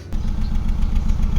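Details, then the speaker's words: 2012 Kia Rio automatic, idling, exhaust listened to: low, lumpy idle with uneven puffs and popping in tailpipe, check engine light on, RPM needle moving up and down; misfire at idle, ECU suspected as one cause, not confirmed. "Iwan ko kung narinig nyo ba yung nagpalak-palak dito sa tambutso. What? Yan, no? At ngayon ay umiilaw ang ating check engine light."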